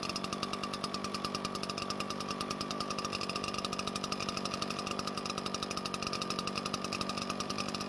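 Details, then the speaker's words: Garage-sale Redmax two-stroke backpack leaf blower of unknown history, run with the air filter removed to rule it out: fast even buzz at steady speed, no misses or surging; runs fine without the filter, carburetor not leaking. "so it ran okay without the filter so the next thing to do is just put the filter back on and see if it changes anything"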